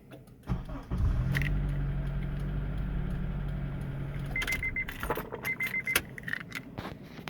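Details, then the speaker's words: 2003 Honda CR-V 2.4 that buzzed or beeped instead of starting, now with a new Beck Arnley 201-1810 ignition switch module. Keys rattle, then a short crank and a clean catch into a steady idle with no beeping or buzzing. Normal start. "And you can actually hear now no more pinging, no more weird electrical sound, buzzing sound. It's all gone."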